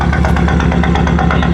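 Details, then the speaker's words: BMW right after doing donuts: loud idle with uneven, lumpy beat and irregular stumbles, car shaking, burning smell; misfire of undetermined cause. "Guys, you guys heard the misfire, right? It happened right after I did the donuts, but we're just gonna pull these off."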